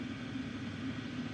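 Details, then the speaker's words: Vevor 8KW diesel heater (2025 model), warmed up on power setting 10, heat source about 330–340°, exhaust 350°: a steady even hum and low drone. The pump knocking heard when cold is now inaudible; normal running. "I was at first concerned about that knocking I heard from the pump when the unit was cold. And once it gets up to temps, that that knocking noise from the pump is pretty much inaudible."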